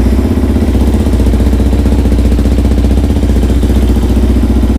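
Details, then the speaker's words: Yamaha WR450F enduro rally bike started after Dakar 2017 and months without cleaning: single-cylinder holds a brisk, even idle with steady beat, no misfires or clatter until shut off; runs perfectly. "Even after Dakar and after months not being cleaned or anything, the bike still runs perfectly, as I'll show you."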